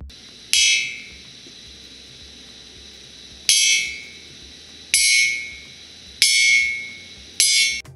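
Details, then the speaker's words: Ring test on a spring from a dismantled boiler safety valve (from an exhaust gas economizer, ship about 10 years old): each strike gives a clear, high, slowly decaying ring, meaning the spring is sound; a dull sound would mean cracked. "ซึ่งหมายความว่าทุกอย่างเรียบร้อยดีเสียงโง่หมายความว่าสปริงแตกและจำเป็นต้องเปลี่ยนใหม่"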